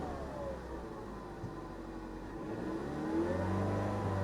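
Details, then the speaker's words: 2015 Ford Mustang EcoBoost turbo four, 310 hp, with 88,000 miles, push-started at auction. The engine climbs smoothly and steadily in pitch as it revs, with no knocks or rattles: a healthy EcoBoost. "ground speed 88 000 miles and she sounds she sounds good she doesn't sound like you would think she would sound but that little EcoBoost is a good engine and she sounds nice just listen to her purr"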